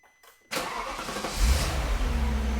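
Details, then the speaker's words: Audi C5 RS6 4.2 V8 5-valve, about 40,000 miles on old tensioners, warm start after an hour's drive, before tensioner replacement: brief crank, clean catch, steady even idle with no chain rattle, which only occurs on cold starts; normal warm start. "See, just like that, we haven't got a rattle at all. It's only when it's cold and it's been left for a little while that we have the starter rattle."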